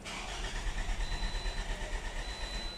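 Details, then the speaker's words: 2018 Toyota RAV4 crank-no-start: starter spins the engine with an uneven churning beat, about three turns a second, but it never catches; fault traced to crank sensor wiring. "अब तो गाड़ी क्रं कर रही है but start नहीं हो रही है यह आपके सामने है"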